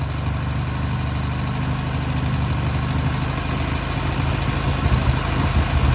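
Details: Newly rebuilt air-cooled VW 1600cc flat-four on its first start and break-in: even low idle that firms up and grows louder near the end as it is gently revved; normal running.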